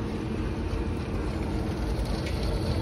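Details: Rooftop belt-driven restroom exhaust fan after replacing the motor (old one had bad start winding, locked up): steady, even whoosh with low hum, no knocking, rubbing or wobble; drawing about 5.3–5.7 A, under the 5.8 A rating; normal running.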